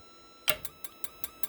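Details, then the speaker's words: RV propane water heater, board powered: six sharp igniter sparks about five per second on the third and final ignition trial before the board locks out and the lockout light comes on. "that's the lockout light i'll show you on the wiring diagram here comes the third time ready"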